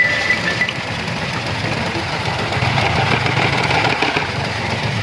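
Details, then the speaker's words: Toyota Vitz petrol engine idling unevenly with an irregular stumbling pulse, a misfire with the warning light on. DTC P0353 ignition coil C (No. 3) primary/secondary circuit; the coil connector lug is broken and will be replaced with a new connector. "यह इसके तीन number ignition क्ल स का DTC आ रहा था ये इसका ग्रेप का लग टूटा हुआ है"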